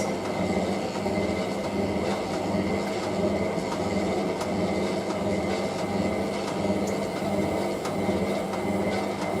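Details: Hotpoint 9530W Electronic 1000 Plus washing machine, 60°C colourfast cotton programme with a heavy bed throw and excess suds: heavy steady rumble with faint hum through the spin; loud drum roar, cause not pinned down.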